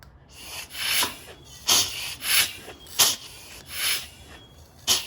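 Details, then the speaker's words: Mazda RX7 13B rotary, chuff test by feel at the plug holes with engine turned over: hissy air chuffs roughly one per second, some blowing, some sucking, all similar in strength; compression seems even, owner unsure. "oh that's sucking as well now they all sound very and they all feel very similar i don't know if that's good or bad i'm no expert"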